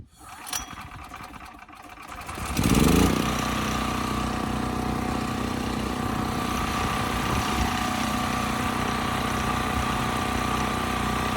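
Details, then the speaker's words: Westinghouse 7,000-continuous-watt electric-start generator after rusted gas tank, dead battery and gummed carburetor were addressed and cleaned: pull-start, quick catch, then steady even drone at governed speed, tuned to about 61.5 Hz (expected near 3,700 RPM); sounds good now. "It sounds good now."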